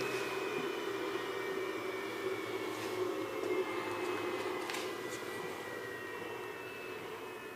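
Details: Refuge 100 Pro portable solar generator: inverter fan speeds with heat, on above 122°F; steady airy whoosh with faint high whine easing slowly after the load stops; normal inverter cooling fan.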